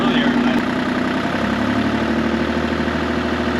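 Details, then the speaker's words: Mini-excavator diesel restarted after running gasoline through the injectors, now back on diesel: even idle with a steady low chug, no stumbling or misfire, way smoother sounding; normal idle. "all right guys she's fired back up she's probably a little happier on diesel not gas"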